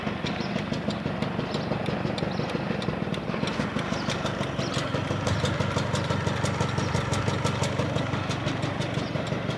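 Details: Honda Lead 90 scooter engine running: sharp ticking knocks about three a second, somewhat uneven, over a busy idle; engine knock, source unknown.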